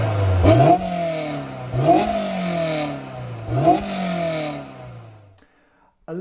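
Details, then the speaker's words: Honda S2000 project car, three sharp revs after an oil check. The exhaust note turns harsh and raspy near the top and sounds not quite right. The owner is disappointed, having hoped for a sound like with the catalyst fitted. "bit disappointed with the noise to be honest with you from the exhaust a little bit raspy a little bit i don't know just at the top it just sounded a bit not right"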